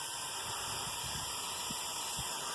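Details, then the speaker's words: Small RC cooling fan used on many cars, clogged with dirt, run from a battery pack: loud airy hiss with a thin high whine, spinning fast but sounding rough from dirt buildup. "this one's been on a lot of different cars it has a lot of dirt in it doesn't sound the best as you can probably hear but it still runs just fine"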